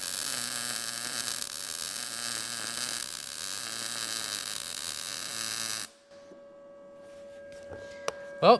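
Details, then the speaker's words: Arccaptain MIG200 inverter MIG welder, inside corner joint, horizontal position, torch 45° into corner and 35° travel angle: steady bacon-frying crackle about six seconds, little spatter; good stable arc, heat and amperage matched, could go slightly hotter. "the ark is nice and uh the weld is nice there's not really very much spatter I think that the the uh the Heat and the amperage are good together because you've got that bacon frying sound"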